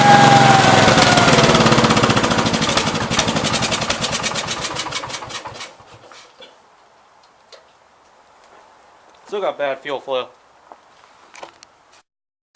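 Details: 1969 Gravely 432 with a rebuilt K321 14 hp single-cylinder engine and a new piston, run for about half an hour. Even thump slowing smoothly to a stop at shutdown, with no knock or miss; healthy normal running. The owner suspects a fuel pump problem.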